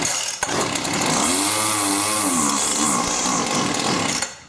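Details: Cheap Weed Eater string trimmer after fuel line replacement, primed, started on full choke and held wide open with line on: high buzzing two-stroke note climbing and sagging slightly; starts and runs normally.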